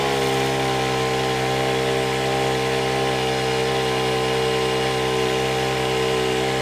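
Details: Honda WJR4025 backpack sprayer, GX35 four-stroke petrol engine, held at steady high speed while spraying; even buzzing tone, no misses or rattles. Praised as a smooth Honda sound; healthy normal running under load.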